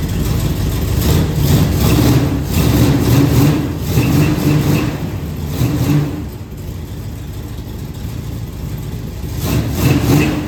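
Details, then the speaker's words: 1968 Firebird, engine sitting about 42 years, first start: catches and runs with a lumpy chug that surges, sags and dies back; owner suspects bled-down lifters or valves out of adjustment, unconfirmed. "Might just be the lifters that bled down and either that or I didn't run the valves."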